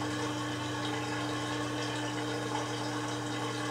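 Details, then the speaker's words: Kenmore (LG) 5-year-old 796.41392.511 front-load washer, draining after a bottom-fill pre-wash: steady low pump hum with constant tone and water gurgling, even and unbroken; drain pump running normally. "now I'm going to see oh nope it's draining"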